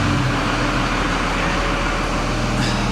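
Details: Freightliner ex-FedEx truck diesel idling after its exhaust was rerouted into the muffler. Steady, even idle with a faint turbo whistle on top and no knocks or exhaust-leak puffing; it sounds healthy.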